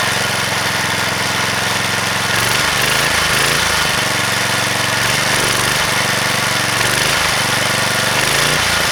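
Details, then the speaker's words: Vintage (likely 1970s) McLane edger with a Briggs & Stratton single, revived after sitting about 14–15 years, runs a fast steady buzzy, rattly note; healthy running, though it needs a new blade. "this should just start up and run pretty much"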